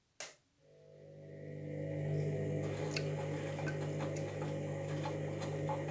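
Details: Washing machine (part 2 of drum and motor problems): a steady low rumbling hum with light ticking and a noticeable grinding as the drum starts to rotate, apparently anticlockwise. Worn drum bearings are suspected but not confirmed.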